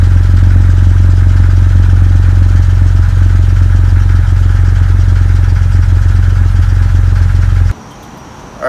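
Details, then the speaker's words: 2000 Jeep Grand Cherokee WJ after replacing the crank position sensor with a new part for stalling, rough idle and misfiring: deep, steady, even idle with a regular low beat and no misses or stumbles; idling much better than before. "right so we have the new sensor installed everything seems to be working well I'm going to give it a test drive just to make sure everything's working correctly but it seems to be island a lot better than before"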